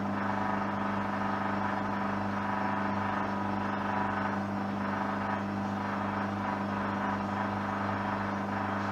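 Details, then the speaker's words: Hoover washing machine on a coloureds 60°C cycle with white sheets, sensitive care option, max spin 1400 rpm: steady motor hum with constant low drone and no clear speed rise, as the out-of-balance load causes the spin to be cut short. "Oh no, it's not gonna do that. It's too much. It's gonna fail and then do again."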